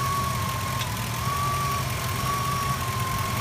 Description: The issue is 100% the alternator bearings.